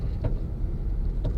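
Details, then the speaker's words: Honda Civic (2006–2011) just lowered on MaXpeedingrods coilovers, slow maneuvering: two short creaking clunks about a second apart over low rumble, only from the driver's side wheel; something loose suspected, coilover top mount creak. "It's only from the driver's side. Is something loose? Okay, yeah, something's definitely up with the driver's side."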